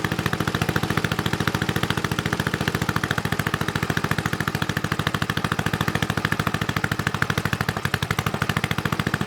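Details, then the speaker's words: Snowflite snowblower, hand-started outside with oil slightly low: small single-cylinder chugs in a crisp, even rhythm with steady pulses and no misses; runs normally. "oh i think it runs pretty sweet i know it probably didn't look very impressive but all the snow here has been pretty much uh frozen this whole time"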